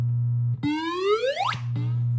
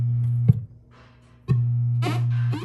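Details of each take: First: 1978 Williams Phoenix pinball, recapped sound board, sound test number 12: over a steady low hum, the 10,000-point tone sweeps upward for about a second and cuts off. The sound board plays this effect correctly. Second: 1978 Williams Phoenix pinball, recapped sound board, solenoid-test sound: effects cut out and return in bursts as the volume pot is turned; bad connection in the dirty volume pot, board itself fine.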